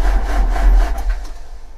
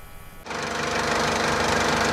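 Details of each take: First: 2004 JCB 2CX (212S) with Perkins Tier 2 diesel and Bosch injection pump, after glow plugs: deep, rhythmic cranking thumps that slow without firing. The no start was ultimately traced to a leaking fuel sediment bowl admitting air and losing prime; a weak electric lift pump was also replaced. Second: 2004 JCB 2CX (212S) with Perkins Tier 2 diesel, started from the cab after the electric lift pump was replaced: it catches within a second and settles into a steady, even idle clatter with no misses. The sediment bowl now stays full of fuel. Normal diesel idle.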